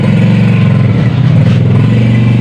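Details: Honda Beat FI scooter with rough starting, stalling and total electrical loss, traced to a corroded, broken red-black wire to the ignition switch, temporarily rejoined: an even, steady low drone with no misses. Runs normally.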